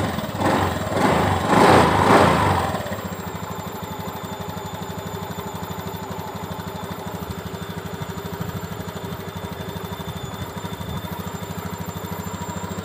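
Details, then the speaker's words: Honda Beat ESP injection scooter after turning the idle adjuster left about two and a half turns toward the factory 1300–1500 rpm idle: it drops from a brief rev into a steady, even idle with no hunting or stalling. Normal idle. "intinya tetap standar karena ada standarnya kalau dari bawaan pabrik itu sekitar 1300 sampai 1500 sudah cukup"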